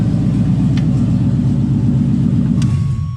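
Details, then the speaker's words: LS Camaro automatic, in garage, in drive with wheels spinning after plugging in the unplugged rear speed sensor: steady engine and driveline hum, shifts on its own into second and third, then winds down; normal upshifts, fault fixed. "shut that off i don't know if you could hear it but actually just went in shifted on its own and drive into second and in the third"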